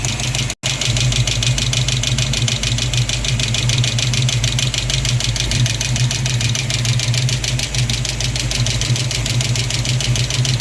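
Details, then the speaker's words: Ford Mustang V8 at idle after fuel pump and harmonic balancer change: loud, rapid metallic clacking over the rumble from a loose number three exhaust rocker arm, tightened with the engine running. "thank God it was just it was just a rocker it's uh the exhaust on number three it was just quacking like crazy"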